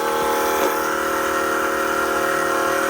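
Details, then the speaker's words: Carbureted, nitrous-equipped LS-swapped Chevy S10 after the Holley blue fuel pump was replaced with a new Holley black pump on a 7.5 A fuse: steady even whine with faint regular pulse, no rattles, no leaks; fuel pressure good; normal fuel pump priming. "dry. Yeah. Sounds like it's good to go."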